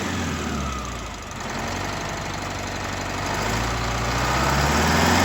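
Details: Detroit Diesel two-stroke bus engine after blower replacement and full tune-up correcting mismatched injector timing between banks, idle set just over six hundred: starts and settles into a steady even idle, no misses or knocks; normal start and idle.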